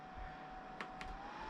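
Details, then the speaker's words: Titan TTC-SC60(B)+ circulation fan at the 40% setting (minimum is 20%), in an RV; soft even airflow hiss, faint steady hum, button clicks; normal running. "There we go. There's 40%. It's blowing my hair a little bit. Oh, so that's 40%. Minimum 20 40%."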